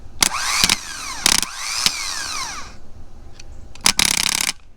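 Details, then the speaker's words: 1976 Dodge Xplorer 224 conversion van, starter jumped with a screwdriver: short rising-and-falling whir bursts with clicks as the gear throws in and pulls back out when the engine starts; starter engages properly. "You can see the gear starting and pulls right out when the engine starts. So then when you're starting your car and then you hear the engine start, you just kind of stop with trying to start your car."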